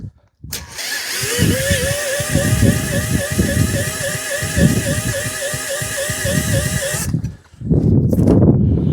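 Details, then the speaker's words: Stuart generator engine with no fuel system or water fitted, petrol poured down the plug hole: quick, even cranking at about four turns a second with a wheezing whistle, briefly trying to fire but never running; cranks but won't start. "Stuart is trying to fire. Come on. Come on. Didn't she try to go there? So, we are turning her quick enough to get a spark."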